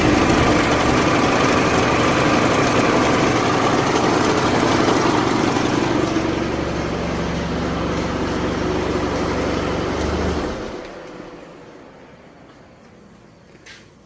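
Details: 2004 PT Cruiser 2.4 at idle: loud, steady mechanical clatter that dies away at shutdown; the timing tensioner is hoped to be the cause, unconfirmed, while cam/crank correlation is checked with an oscilloscope.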